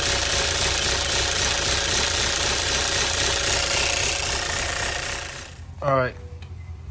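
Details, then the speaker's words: 2016 Chevy Cruze 1.4L Ecotec turbo, run about four quarts low (nearly empty), just refilled with oil, no low-oil light: fast clicking about four per second over idle; valvetrain noise from oil starvation. "guys what's messed up is there's no no low oil light here [Music] tree i hear that clicking"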